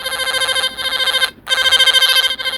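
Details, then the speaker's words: Line tracer tone probe on tone setting: warbling high-pitched tone pulsing several times a second but thin and quiet; owner suspects the 9 V battery is weak. "So baka mahina na yung kanyang battery."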